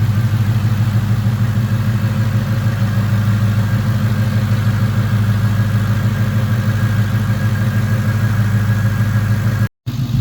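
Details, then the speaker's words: Ford Coyote V8 fully warm after a drive, following a fix to a cam phaser limiter installation that had caused a timing chain chirp and rattle: a smooth, even idle with only a light injector tick. Normal. "put some actual temperature into it and she is quiet just the normal noises injector's ticking away"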